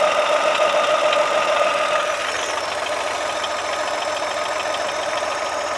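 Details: Brand-new Chevrolet Onix Plus idling: fast, fairly even ticking rattle about three per second plus faint whine; solenoid valve replacement failed, alternator belt tensioner was the cause.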